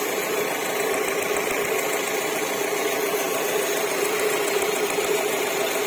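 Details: 2007 Alfa Romeo 147 1.6 Twin Spark 105 hp: fast, uneven cicada-like chirp over a steady idle, a rapid twittering that doesn't settle; source of the engine noise unknown.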